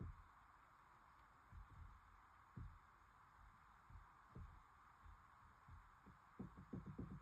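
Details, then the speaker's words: 2022+ Honda Civic steering, engine off: soft low thumps every second or so, then a quick cluster of clicks as the wheel is turned; sticky, clicky tapping column also felt when driving, linked to worm gear assembly recall issue. "there's a clickiness to it and you go this there's a tapping and that actually happens when I'm driving"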